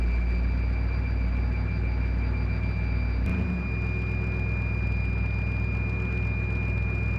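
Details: A 1955 Willys wagon, running better after carburetor fixes on its first drive, gives a constant high whine or whistle over a steady idle. Transmission fluid is low. The owner suspects a vacuum leak; the source is unconfirmed.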